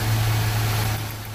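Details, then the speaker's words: Idle during a cylinder power balance test, with plug wires pulled one at a time on an engine with a misfire: a low drone with a wobble and sagging rpm. The engine vibrates more and vacuum drops as cylinders are disabled, showing rough running with a cylinder dead. "notice how the engine vibrates more"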